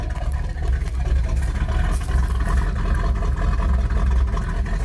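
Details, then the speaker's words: 1977 Pontiac Trans Am, first running after sitting since 2005: a lumpy, uneven V8 idle with irregular stumbles, not firing on all eight cylinders; a lifter is suspected and it may smooth out with idling. "it's not firing on all eight probably a lifter"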